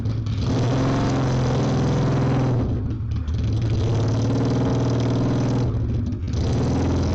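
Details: Honda Steed 400 V-twin custom build, started on the key before test ride: settles into a steady even lope with a couple of brief throttle dips; idles cleanly without misfire.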